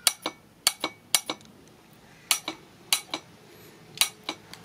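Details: AC compressor clutch with 12 volts applied directly: crisp metallic clicks in quick pairs as power is applied and removed, unlike the failed compressor that gave no click; clutch pulls in cleanly, normal engagement.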